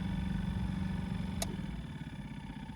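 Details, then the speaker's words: Opel Combo heater blower motor, removed from its housing and run: a low hum that turns poorly without squealing, then slows and stalls completely; owner plans to take it apart and replace it. "Так, послухаємо, як робить моторчик. Чуєте? Досить погано крутить, але не пищить."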